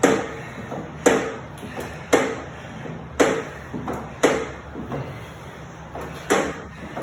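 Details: NordicTrack SE7i elliptical: sharp clicks about once a second with fainter ticks between them in a quiet room; rhythmic clicking noise, cause unknown.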